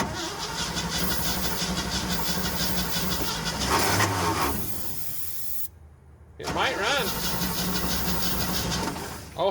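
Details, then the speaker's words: Old water truck, gas poured down the intake: rough, uneven running that surges, drops out and revs again; catches on primed fuel but won't hold, possibly flooded. "i might have flooded it hold it wide open i poured that gas down the intake"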